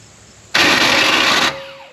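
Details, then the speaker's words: 1984 Chevrolet Monte Carlo SS dirt-track race car with small-block Chevy, sat in weeds over a decade, first crank attempt: harsh one-second metallic grind then fading whir; starter not meshing cleanly with flywheel, suspected starter shim issue, shims then fitted. "oh boy I might have to get a shim or something I don't want to yeah damage it any more than that think we got serter shim issues GM issues"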